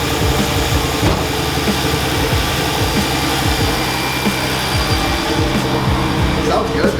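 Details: Chrysler Crossfire first start after installing an upgraded 74mm throttle body (Mercedes A1131410125 / Bosch) and plugging the MAF sensor back in. The engine catches and settles into a steady, even idle with no stumble or misses. It is running normally.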